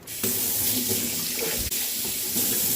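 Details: Zurn faucet after cartridge replacement, no handle wiggle: water runs in a smooth steady hiss with no chatter, hammering or shudder; pure hot and cold, no cross mixing; normal flow.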